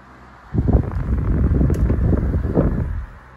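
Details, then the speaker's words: Sears 12-inch oscillating table fan 453.80120, about 40 years old, cleaned and freshly oiled, on high speed; steady whir with loose, irregular low rattle that comes and goes, owner thinks typical wear of a worn old fan: intermittent rattle and vibration. "I don't know how much of that's going to come through in the video seems to come and go it never gets too bad but I can hear it right now"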